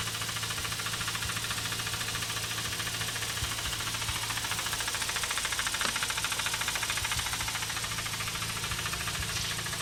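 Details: Mazda RX8 231 bhp rotary idling with a light ticking knock, about three and a half per second, from the SSV; valve removed and cleaned, actuator link suspected, needs a new unit or rebuild.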